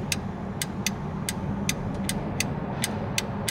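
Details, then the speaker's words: Honda VTEC solenoid powered directly during diagnosis: sharp, crisp clicks about twice a second over a low engine hum. The solenoid actuates normally before a road test with a scope to check it at 4,000 rpm. "in now if I put Power to that I should be able to hear that solenoid click turn the sound off on this thing okay I can hear it click"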